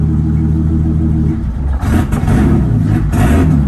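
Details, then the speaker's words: Turbocharged BMW E30 (1984 318i chassis, 1987 M20B27 eta engine, Turbonetics turbo, 36 lb injectors) cold, throttle blipped twice: revs rise unevenly and stumble, cold-engine hesitation until warmed up. "Yeah, it needs to warm up a bit. It's too cool."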